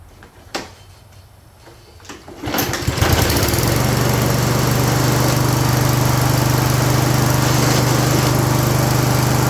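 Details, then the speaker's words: Toro 22 Recycler mower with no drive: engine starts and settles into a steady fast beat with a rough grinding under the drive; wheel gear suspected, possibly both wheels; drive gear grinding. "Yeah. I don't know if you heard that grinding, but uh what I'm going to do is we're going to take a look at this wheel."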